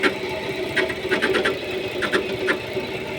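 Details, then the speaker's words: Chrysler 300 engine with a newly appeared noise: sharp irregular ticks, several a second, over a quiet running engine. Ticking from the top end; owner says he knows the cause but does not state it. "35 двигатель шум появился кто сталкивается с такими шумами можете комментарии писать"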